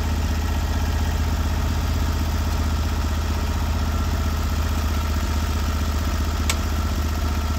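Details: Norwood HD36v2 bandsaw mill on day two of testing new roller guides (ceramics replaced), taking big through-bark cuts in a roughly 24-inch-wide black oak log: a steady, deep drone at even pitch with no hunting, knocking or bogging. Normal running under load.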